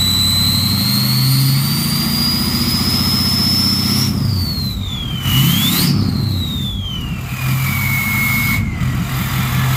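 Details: Ford 6.0 Powerstroke diesel with a new stage 1.5 63.5 mm 10-blade turbo replacing stock: a loud jet-like whistle climbs and falls with each throttle blip. The turbo is spooling healthily.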